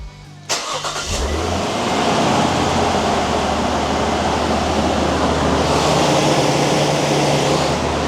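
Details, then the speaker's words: Nissan Stagea RB25 NEO after fixing a misfire by replacing coil packs: starter cranks briefly, engine catches and settles into steady, even idle with no stumble; smooth-running six, no misfire. "Yes. Yes. We fixed it. We fixed it. It was coil packs."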